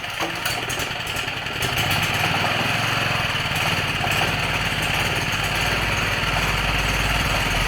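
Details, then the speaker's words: Old Champion generator that sat for years and would not start on the electric starter, running on 3 to 5 year old gas after a pull start: steady, even single-cylinder chug at constant governed pitch, no misses or knocks; running smoothly. "Not too bad for 3 or 4 or 5 year old gas. It's pretty good."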